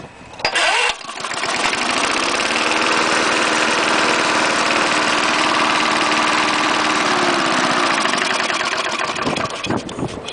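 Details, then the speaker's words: 1974 Snapper mower, 3.5 hp Briggs engine, trash-picked, fresh gas after bone-dry tank, cold start: catches on a single pull, settles quickly into a steady even putter and holds speed; healthy cold start. "3.5 horsepower Briggs still runs good even though it's got the chute for the site discharge"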